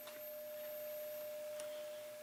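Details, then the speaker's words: VW crankshaft hung free and tapped on the throat, not a bearing surface: a clean, pure tone that keeps ringing on without dying quickly, the ring of a true forged crank, where a cast crank would just thud. "how that Rings is still ringing it's still ringing still ringing I don't hear it anymore it might still be ringing a cast crank won't do that"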